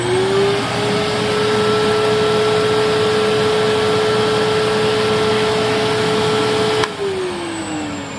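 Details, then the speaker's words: Panasonic Jet-Flow MC-9520 canister vacuum, roughly 35–40 years old: steady whine then very long wind-down after switch-off, a textbook case of no grease in the motor bearings; not worth rebuilding. "I want you to also to pay particular attention to the motor winding down so here is a textbook example of no grease in the motor bearings at all"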